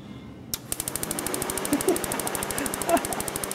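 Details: 1999 Subaru Impreza 2.2L with a no-start; fuel into the intake made no change. With the key on and no cranking, rapid sharp regular snapping, about ten per second, as the ignition coils fire.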